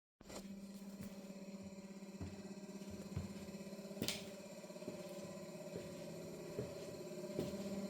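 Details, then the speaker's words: Kroak car fridge set to 3 degrees, running 10 minutes and reading 5: steady low hum with a mid tone and soft knocks about once a second; loud at 65 dB and barely cooling, struggling to drop 2 degrees. "So even in 10 minutes it's struggling to drop 2 degrees. And that's the noise running at 65 decibels."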